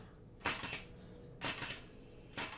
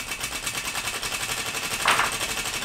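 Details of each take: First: 3D-printed air engine fed from a pressurized bottle, push rod too short, spun by hand. Three faint airy hisses about a second apart; the valve opens only slightly and lets in too little air, so the engine won't turn over. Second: 3D-printed air engine fed from a pressurized bottle, push rod adjusted to the right length with no air leaking. Spun up, it runs with a rapid steady clatter of about four beats a second that slowly eases off; running properly.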